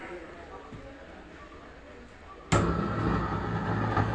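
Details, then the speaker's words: Onix OHT 110 BT home theater switched on, even before standby release: loud, rough, distorted low buzz surges from the subwoofer and stays after standby release; failed subwoofer amplifier IC. "Set ഇപ്പൊ on ആയി stand release ആക്കിയിട്ടില്ല പക്ഷേ അതിനു മുമ്പ് തന്നെ ഭയങ്കര sound ഇങ്ങനെ കേറി വരുകയാണ് സബ്വൂഫർ അപ്പൊ സ്റ്റാൻഡ് ബൈ റിലീസ് ആക്കിയാലും ആ സൗണ്ട് അങ്ങനെ നിൽക്കുകയാണ്"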